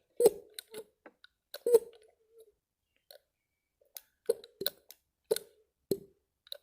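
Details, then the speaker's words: 1976 MG mechanical fuel pump worked by hand after disassembly. It needed no parts, only lubrication and varnish blasted out of the inlet and outlet. Soft, uneven clicks and puffs about forty a minute, pulling vacuum and pushing freely; healthy pump operation. "hear that anyway it's pulling a vacuum on this one and it's pushing on this one"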